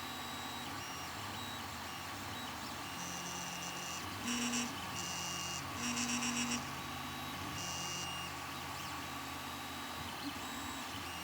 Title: Ender 3 Pro Weird Noise Coming from Nozzle Area